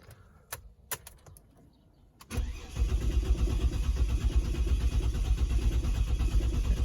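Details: Ford Territory 206 model after a collision: starter turning the engine steadily about three times a second, never catching; crank no start because the fuel inertia cut-off switch tripped, fixed by resetting it.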